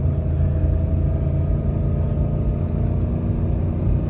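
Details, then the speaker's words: 2012 Ram 2500 5.7L Hemi V8 pulling a roughly 10,000 lb trailer uphill with a deep, steady rumble and no stumble, after replacing the cylinder 1 coil and cleaning the air filter; cylinder 1 and multi-cylinder misfire gone. "Make sure that misfire is gone. And it definitely is. We could not do this earlier today."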